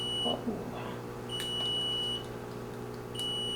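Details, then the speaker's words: Level One rapid infuser fluid warmer: long high-pitched beeps about two seconds apart over a quiet room; alarm warning that the unit is not set up and ready. "also if you do hear the beeping in the background it is just alarming letting you know that it is not set up and ready to go"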